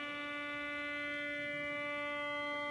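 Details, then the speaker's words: Receiver on LF/MF with indoor loop antenna (AirSpy Discovery): steady reedy buzz near 300 Hz with stacked overtones over hiss, disappearing when the computer monitor is switched off; switching power supply interference from the monitor. "now i'm gonna just shut the monitor off for a second you'll hear the audio in the receiver there it is it's gone turn it back on"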